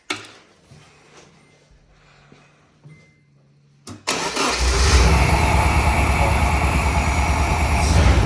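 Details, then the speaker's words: Truck just after a 48-hour engine swap; cranks and catches, then runs loud with a slightly stumbling, uneven beat: misfire from an unplugged fuel injector, running well once plugged in. "Almost sounds like it's misfiring a little bit. Oh, this injector isn't plugged in."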